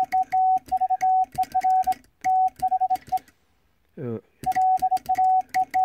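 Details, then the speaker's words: Vibroplex bug Morse key after adjustment on a stable mat, arm set to contact point; clean crisp dots and dashes on a steady mid-pitch tone, even spacing, no stutter, sending fine. "Voilà, this Vibroplex sound fine."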